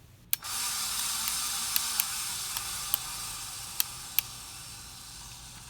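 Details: 53" Casablanca Spirit Of Saturn ceiling fan, recorded 2018: steady high hiss with scattered uneven ticks while running; worn motor bearings, later replaced.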